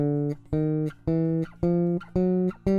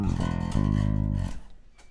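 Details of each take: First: MTD 535-24 bass with Bartolini electronics, after neck relief setup and raising saddles with an Allen key; plucked notes up the neck ring clean and sustain evenly with no fret buzz. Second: MTD 535-24 bass with Bartolini electronics, strings set very low at the saddles: low notes carry a thin metallic fret-buzz sizzle that dies with each note.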